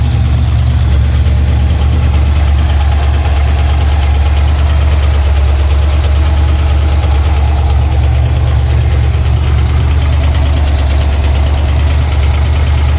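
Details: Pontiac Trans Am V8 idling, oil pressure erratic: deep rumbling idle with a dull, somewhat uneven knock about three a second, earlier a tick, now deeper and all around the engine; owner suspects crank, not confirmed.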